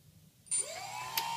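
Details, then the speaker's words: Pixhawk drone brushless motor on 3S, 2200 kV, powered with the power module connected and the ESC 5 V BEC line disconnected: rough gritty grinding burst at spin-up from ESC desync before the whine climbs to speed. "you'll see the bad sink issues you get with it so you can hear kind of grinding noise before it picks up speed"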